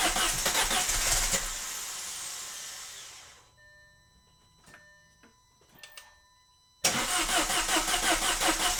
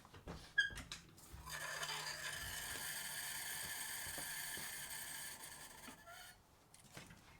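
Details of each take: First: Cheap Audi after repairs with Chinese parts, cam plate bolts reinstalled, cranked to build oil pressure with the fuel pump fuse pulled: steady cranking, then it catches cleanly anyway and settles to a smooth idle; normal crank and start. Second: Audi after repairs with cheap imported parts, run without coolant: thin, high-pitched whirring with scattered clicks for several seconds and no start; a dead battery barely cranks the engine.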